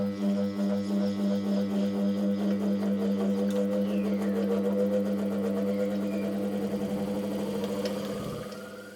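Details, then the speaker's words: Restored old bench grinder after new motor bearings, first test run: steady hum with a faint rhythmic wobble about three to four per second; slight vibration, owner thinks the right-side wheel is not seated correctly. "कंपन है, और मुझे लगता है कि यह ज्यादातर है क्योंकि वह राइट-साइड व्हील काफी सही ढंग से नहीं बैठा है"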